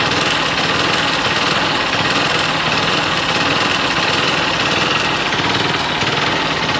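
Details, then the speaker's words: Hero XPulse Rally Edition after a Hero service centre visit for a major engine problem, warm after riding from home: fast busy idle holding high like cold start, never dropping; cause unknown, owner worries about mileage — high idle when warm. "ಇವಾಗ ಮನೆಯಿಂದ ನಾನು ಬಂದಿದ್ದೀನಿ ಅಷ್ಟು ದೂರದಿಂದ ಬಂದಿದೀನಿ ಇವಾಗ ಹಿಂಗೆ ಆಗ್ತಾ ಇದೆ"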